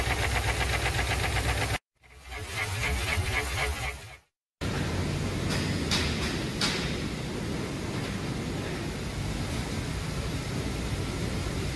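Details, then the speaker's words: Customer complaint of a very loud engine knock: running car engine with a loud regular knock about four beats a second. "customer states engine has a very loud knocking sound let's have a"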